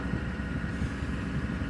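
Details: 2007-2014 Chevy over 150,000 miles idling after fuel system overhaul for a broken evap canister leaking charcoal pellets into lines and tank: low steady rumble with faint whine, even rhythm, no misses or knocks; no leaks, believed fixed.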